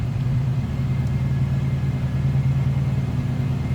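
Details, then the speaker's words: 1967 Mercury Cougar XR7, 351 Windsor V8, automatic, idling shortly after a cold start, heard from the rear at the tailpipes; low steady rumble, even burble, no misses or ticking, good sounding car. "Nothing crazy over the top, just good sounding car."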